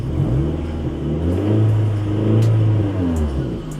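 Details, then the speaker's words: Car engine revved from idle, heard with window down: deep loud blare swelling and dipping with revs, racing-car-like and abnormal; exhaust leak from the silencer. "இந்த மாதிரி அப்நார்மலாக noise வரும். இது எதனால் வருதுன்னா, exhaust சிஸ்டமில் வந்து 3 விஷயம் இருக்குது."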